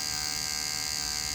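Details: Dragon (dragão) hair clipper that won't switch on, with the power button bypassed by bridging its two pins: steady, high, even buzz with no stutter or drop-off. The motor runs fine, so the button is likely at fault rather than the board or battery.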